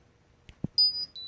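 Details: Ridgid 18V Octane Bluetooth battery: two short clicks, then a pair of high clean electronic beeps at slightly different pitch; locate signal triggered from the app.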